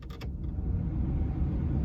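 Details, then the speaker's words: VW T5 heater blower fan on speed 1 after being removed and greased to cure a squeak: a couple of clicks, then only a soft even airflow rumble with no squeak or chirp; quiet blower. "So what I'm going to do now is I'm just going to switch the fan on and see what we can... Oh, wait a minute, the fan is on. But it's so quiet. Brilliant."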